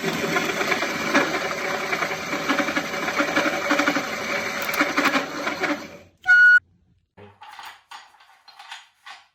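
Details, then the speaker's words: $200 electric motor fitted to a dead Mini Cooper conversion: harsh steady metallic grinding over the motor hum from metal rubbing at the back, explaining why the motor wouldn't spin; then only handling knocks. "we've got a little resistance of rub here in the back and we're actually grinding metal"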